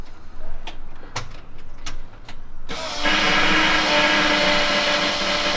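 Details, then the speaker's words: Ford F150 prerunner at key-on after fitting a fuel pressure regulator: a few light clicks, then a steady hissing, rushing hum from the fuel pump as it primes and stops. Noise attributed to air in the fuel system. "oh I don't like that what the hell is that noise yeah I don't know do it again just leave it on it stops IT primes and it stops oh it's air"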